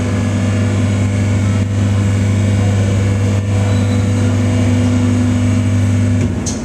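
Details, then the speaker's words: V40/V70 hydraulic cardboard waste baler, plate rising: even low pump motor hum, steady pitch about six seconds, cutting out as plate reaches top; healthy. "now the plate is coming up and you can see the light is flashing but you can hear the motor running as well"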